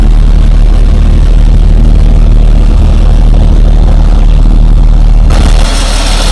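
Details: 1947 Dodge, warm after carburettor work, previously reluctant to start even warm; cold start still to be tested: steady even low idle, smooth rumble, no misses or knocks; normal warm idle.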